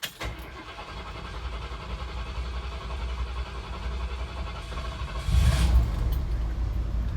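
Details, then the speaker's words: 1979 Ford Bronco, carburetted with automatic choke, started after sitting 2.5 weeks: primed twice, pedal pumped once; starter rumble, then it catches and settles into a steady idle. Normal cold start. "And then I pump the gas pedal once during that process, fires right up. You can hear it running."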